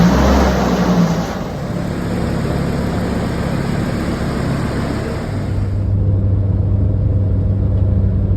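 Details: Hummer H3 after engine reinstall (original block was blown): deep steady rumble with a rev rise and settle, smooth and even with no knocks or ticking; running normally.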